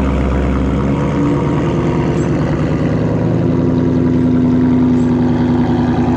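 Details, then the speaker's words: 2019 Ford Mustang GT V8 with active exhaust, first 15–20 seconds after start: lumpy idle with loud, steady rapid clicking over the exhaust burble; owner suspects the exhaust baffles/valves, quiet start also not working; cause unconfirmed. "is when the car turns on for the first 15 20 seconds you hear this is clicking this like it's like the baffles"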